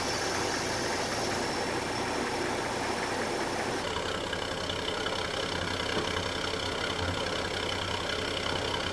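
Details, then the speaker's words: 1946 Chevrolet truck Stovebolt 216 inline six, original 6-volt system, idling while warming up after cold start following nearly a month sitting; steady even idle, no knocks or misses; normal idle. "as you can see uh the engine runs as good as the truck looks that's how it should always be um these old engines are bulletproof so uh"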